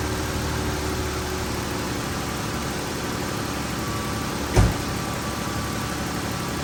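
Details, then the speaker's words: 2012 Chrysler 300 3.6L, first start after rocker arm replacement for ticking, both cams damaged: smooth, steady idle with even low hum, no ticking or tapping on top; engine sounds healthy. "man that sounds pretty good for two bad cams"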